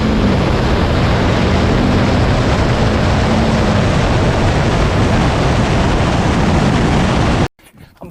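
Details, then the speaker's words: 2006 Duramax LBZ diesel with LLY compressor cover on tune DSP-4, hard acceleration: loud, deep, even roar, no surging or flutter, vanes steady and boost hitting its target; normal turbo under full acceleration. "So boost hits its desired value. We've basically built the histogram to determine where to set the vane position, keep dry pressure in check, keep boost pressure in check, keep the smoke load down, keep the truck really clean, and keep it making a ton of power."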